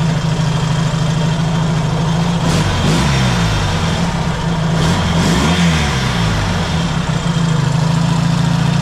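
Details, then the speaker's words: Yamaha XS650 after checking cam timing suspected one tooth out, reassembling the engine and refitting it in the frame; steady idle then two clean revs up and down with no misses or rattles, running much better. "so we'll start it up and hear how she sounds running much better"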